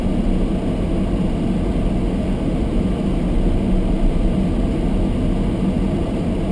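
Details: Almost-new Toyota Prius hybrid, sub-zero temperature with fogged windows: demister fan turned up high on windscreen, loud steady rushing air, no rattle, squeal or pitch change; camera close made it sound louder; normal.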